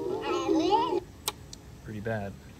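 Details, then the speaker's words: Homemade record cut on a diamond-turning lathe, played on a cheap briefcase turntable: warbling music whose pitch slides up and down because the cutting velocity control couldn't keep up, so the speed was inconsistent and too slow. "so that was you know the load changing because it was running out and speeding up and slowing down and in general just not going fast enough so it sounds super creepy and distorted but it at least plays"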